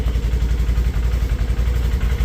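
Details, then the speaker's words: Fuel-injected General XP side-by-side, cold start after three months unused: even, quick low chugging with a steady beat and no knocks or rattles while idling to warm up; normal warm-up idle. "So, we're going to go ahead and probably just move a couple of those things out of the way and let it warm up for a minute."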